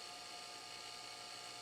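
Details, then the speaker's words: Abnormal drive noise from a SCSI SyQuest-type removable cartridge drive (probed as "SCSI disk 110R") with a matching 105 MB cartridge: steady high-pitched whine over a mid tone and whir; the drive reports a disk error and fails its short self-test with 1 error. "This is not a happy drive. So looking through these other cartridges, they are all 135 megabytes or 230 megabytes. This is the only one I have that's 105, which is the matching one for this particular drive. It just doesn't sound right. Just the noise it's making."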